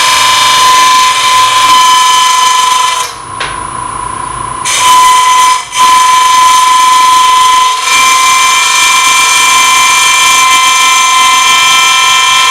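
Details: Lathe turning an open segment vessel at relatively fast speed, tailstock out, very light cuts with a smaller gouge; at the bloodwood layer below oak, high-pitched cutting whine breaking up ~4 times a second as segments bounce – gouge chatter.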